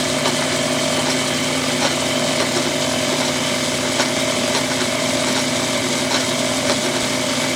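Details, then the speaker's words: After diamond-honing the tool to a sharp edge (was dull): steady even machining drone with smooth cutting hiss, nice curls, no chatter or squeal; clean cut with sharp tool. "so well that's making nice pretty curls oh yeah look at that yeah a few minutes with a diamond hone and makes a lot of difference on the way that thing's cutting"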